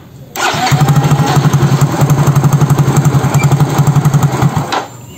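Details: Soul GT injection scooter (same engine as Mio J), at 80°C: fires and idles with hiccuping pulses then cuts out; plugs, cap, coil, injector, compression, throttle body, fuel pressure all normal, scanner shows barometer/intake air pressure reading 85 kPa instead of 95–103; faulty intake air pressure sensor.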